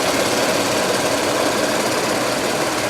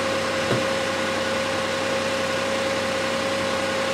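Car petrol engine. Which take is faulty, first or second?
second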